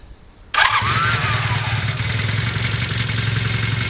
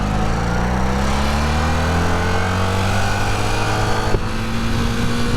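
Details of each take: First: Rebuilt barn-find Honda CB250 Super Dream, cold with choke on and fuel tap on, started on the button: catches on the first press and settles into a steady, even, crisp choked idle with no misses or knocks; healthy cold start. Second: Rebuilt Honda CB250 Super Dream twin on the road: pulls fine at low rpm, then around 5,000 rpm pitch stalls and dips briefly before recovering; engine hesitates and holds back under acceleration, owner plans to add fuel to rule out low petrol.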